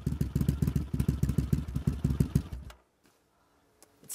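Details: Honda CX500 cafe racer twin, finished project, just started: even, lumpy twin idle at about three or four pulses a second, then shut off; healthy idle though revs need adjusting.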